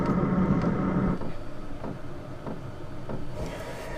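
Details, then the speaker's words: Van's under-floor diesel heater with a new, longer exhaust and extended intake, after switch-off: hum winds down, then the fan runs on with faint, evenly spaced pump ticks. Normal cool-down cycle. "So, that is working a treat."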